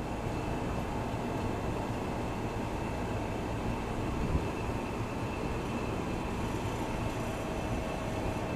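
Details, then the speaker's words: Old General Electric Monitor Top refrigerator CK-2-C16 switched on for first time: steady low hum with faint whine, rough and uneven; compressor runs but sounds unhealthy, no heat felt, motor load decreasing; cause unknown. "Doesn't sound very healthy. Well, at least I know the compressor runs."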